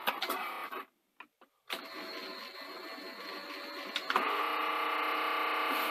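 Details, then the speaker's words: Sanyo VTC-NX100 Betamax: rewind at first failed due to a bad button, then clicks, a pause and an even whirring that steps up as the tape spools. Normal rewind. "oh there we go the button was bad the button is bad okay that's fine"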